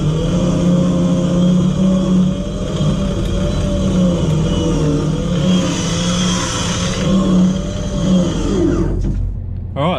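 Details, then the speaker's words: 12 V winch motor run on 24 V, spooling in unloaded on flat ground with the in button pulsed (a 20-second pull versus 31–32 s on 12 V): a steady motor whine that revs up, then stops. Normal winch motor run. "I don't know if you would have heard in the video I was pulsing there the in button because it does come lot on flat ground it comes unloaded and you can hear the motor Revlon up"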